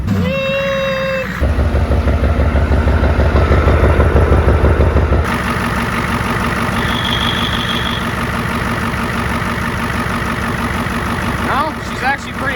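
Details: 1994 Ford F-250 IDI diesel, first start after sitting abandoned for years: loud idle with sharp fast ticking puffs over the clatter, about three a second; huge exhaust manifold leak, suspected cracked manifold, later found with a chunk missing.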